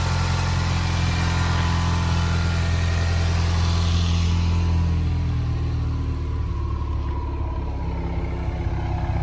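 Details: Turbocharged car at first start-up and warm-up after a broken spark plug was removed and new plugs fitted: a smooth, even idle with a steady low hum, a turbo whistle, and no misfire or ticking; normal idle.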